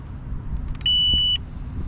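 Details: Fire-damaged Mercury 115hp outboard on a burnt Lund boat, new control box connected: single steady half-second beep at key-on, the warning horn's normal self-test chirp, before the fuel pump runs.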